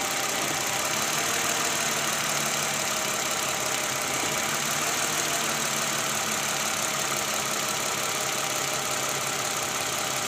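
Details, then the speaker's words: Toyota Camry 2GR 3.5L V6 idling after replacing the tensioner, which had a worn bearing and weak spring, and the worn fan belt: steady even hum and hiss, the chirping squeal gone. "Oke guys, udah nggak ada bunyi di mesin 2GR ini sekarang."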